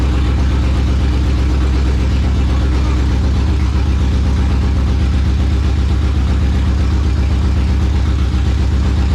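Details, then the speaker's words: Ford Coyote V8 on its second start: deep, even burble at a steady idle with no knocks or ticks, smoothing out as it runs; sounds healthy. "I think that's as much as I want to let it run with no sounds pretty awesome did you hear it start to smooth out"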